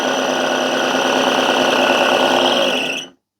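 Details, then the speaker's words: Charity-shop blender with five speeds, running at low speed: harsh raspy gritty motor whine then cutoff; suspected failed top motor bearing, possibly liquid past the seal. "That sounds bad. I think the bearing's gone."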